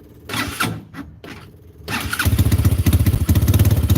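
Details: Venom X22 motorcycle with a Zongshen 250cc engine swapped in for the 125cc, in neutral, after a new wiring harness and clutch cable: some handling noise, then it fires and settles into a steady, even thumping idle of about two pulses a second.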